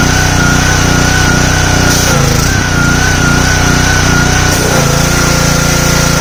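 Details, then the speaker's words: Simpson 3000 PSI pressure washer, Honda GCV engine, long stored outdoors: drone with slow rise and fall in speed about every half second, hunting; owner suspects clogged carburetor needing overhaul. "So far so good. Uh the engine was hunty. Um that means that the uh carburetor is is is uh uh clawed up durability."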